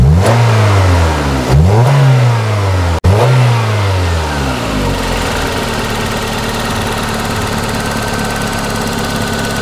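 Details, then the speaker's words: 1994 Toyota Celica, single-coil ignition, intermittent weak spark on one cylinder (cylinder two), coil replaced two years ago: repeated rev blips, then an uneven, lumpy stumbling idle; a bad misfire caught while it occurs. "I mean, it was bad. What the hell? This stupid car was missing really bad."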